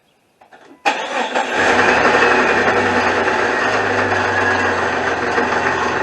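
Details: 2001 Jeep Cherokee Sport 4.0 six-cylinder: starts and settles into fast steady idle with rough knocking underneath, plus belt chirp at idle; knock traced to a worn, loose power steering pump bearing about to fall apart.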